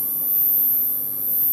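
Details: Scientific-Atlanta D9234 satellite receiver that won't turn on: a steady, loud low mains buzz at the power supply, traced to bad filter and output capacitors.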